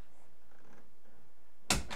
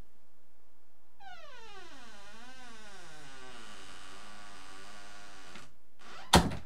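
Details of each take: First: Bathroom door after replacing rusty squeaky hinges with new squeak-proof hinges: swings in near silence with no squeak, ending in a single soft thud; quiet door swing, no hinge squeak. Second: Rusty bathroom door hinges, squeak returns weeks after WD-40, oil or lithium grease: long wavering creak as the door swings, ending with a soft thud as it closes, squeaky hinges before replacement.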